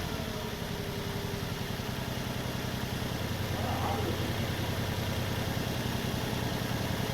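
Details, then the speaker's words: 2004 Nissan Maxima 3.5 V6, about 230,000 km, after first spark plug change in 20 years: idle uneven with irregular stumble, one cylinder still partly down though better; owner suspects carbon around a valve, maybe clearing with time. "still down half still sounds like it's partly down a hole but not like it was before"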